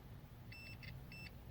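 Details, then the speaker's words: LG 60PV250 plasma TV that turns on and off with no display, testing IGBTs with a multimeter: two sharp continuity beeps showing all three components are shorted. "short all these three are short"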